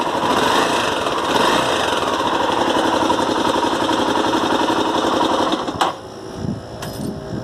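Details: 2006 Tornado single, about 1,500 km after replacing a non-original cam chain, noise returned worse than before: fast, busy top-end ticking at roughly four per second over the running engine; cause suspected, not confirmed.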